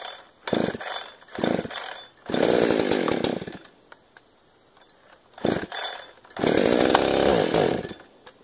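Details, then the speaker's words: 372 chainsaw that starts on choke and then dies, repeatedly: it fires and revs for a second or two, then dies again each pull; stalls after starting, carburetor issue suspected after a rebuild, possibly crud inside. "it wouldn't started a die on me choke it died and then i go and choke it again and die"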